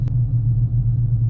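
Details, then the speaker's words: 2015 GMC Sierra 1500 Denali on 295/55/20 Nitto Ridge Grappler hybrid-terrain tires after two years, driving: steady low tire hum and road noise, even; normal, quieter than mud tires. "you can hear these tires kind of humming you can hear the road noise"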